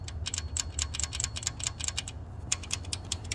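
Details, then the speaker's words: 2016 Jeep Cherokee Latitude 3.2 V6 at idle: sharp, fast ticking, about five a second, from a camshaft lobe worn through. The camshaft needs replacing, and likely the adjacent one too. "this one here it must have been doing it a while because if you look it has eaten through the the cam load I'm gonna have to replace this camshaft"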